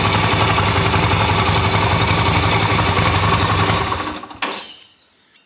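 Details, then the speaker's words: Restored Yamaha XV250 Virago twin, ready for roadworthy inspection: electric start in neutral into a fast, even chuffing beat of about three to four per second that runs steadily, then cuts off cleanly. Normal start and idle. "let's just see how nice these things start there's the key turn it on it's a neutral the lights come on and let's hit the starter everything works"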